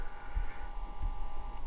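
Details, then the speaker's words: IKEA VINDRIKTNING air quality sensor during a measuring cycle, when its light pulses brighter: faint steady high hum of the small fan, dipping slightly at the end; not completely silent, normal. "it's not completely silent but again just a small fan sound so let's see if i move this to the rear you can pick up the sound a little bit better"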